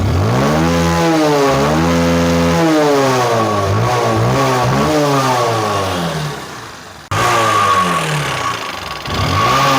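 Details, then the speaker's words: Motorcycle single-cylinder engine, apparently never opened before, with a sharp tak-tak-tak tapping that rises with revs; piston slap and tappets suspected, then excessive rocker arm play found, clearing about 60% of the noise. "मेरे को लग रहा है इसका rocker gear है, क्योंकि इतना play नहीं होता, इसी का साउंड हो रहा था एक्चुअल में, टक टक टक टक करके।"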